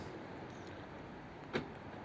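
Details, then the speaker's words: Fiat 500, about 14 years in family, after tricky wiring harness repair: one short crisp clunk as central locking actuators fire together; previously not working, now operating normally, boot latch works too. "now one of the things that didn't work was the Central Lock in now I'm thinking I don't know which one's which now so what's that unlock or lock that's locked so the central locking"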